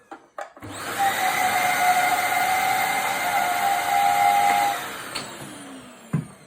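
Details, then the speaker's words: Used second-hand vacuum cleaner running: a thin, high whistle holds one pitch over the steady motor rush, then fades as the motor winds down; source of the whistling unknown, to be compared against another vacuum. "Bon, là il a un bruit de sifflement parce que je vais prendre un aspirateur à moi. Il y a un bruit de sifflement, je sais pas d'où ça vient."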